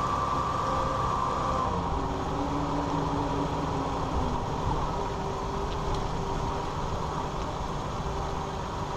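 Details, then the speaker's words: 2001 Ford Ranger 4x4 driving after front driveshaft CV joint replacement: steady low engine and road rumble, with the old part's rattle (worst at slow speeds, vibration at 50–60 mph) now gone. "all right so as you're heard the noise is gone the rattling so yeah if you all have this problem I'll hear that rattling sound this is a Ford Ranger 2001 4x4"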